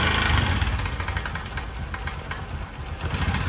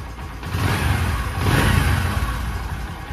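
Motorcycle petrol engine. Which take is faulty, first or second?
first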